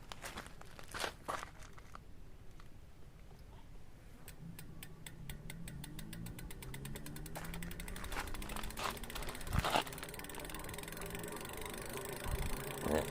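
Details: Duotts S26 e-bike rear hub motor after fixing a rubbing noise; quiet hum rising smoothly as the wheel spins up, few light clicks, brake disc still rubbing slightly; motor runs clean.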